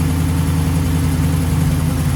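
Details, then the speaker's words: 1936 Chevy coupe six-cylinder warming up after fitting a big air cleaner, PCV system and new cam covers: steady, even idle hum sitting noticeably fast; idle speed too high, turned down afterward. "did you notice how much faster it was idling there presumably that's because i've got the big air filter on but actually i had to turn the idle down it's running a bit too fast so that's a good sign"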